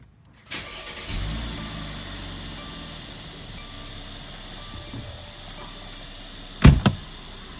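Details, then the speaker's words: 2015 Mercedes-Benz C400 V6 biturbo right after installing a Burger Motorsports cold air intake: starter whirs, engine catches and settles into a steady even idle with one quick throttle blip; no noticeable difference, new blow-off noise audible, sounds healthy. "No noticeable difference right off the bat. Got a noticeable blow-off noise now. Ah, that sounds really cool."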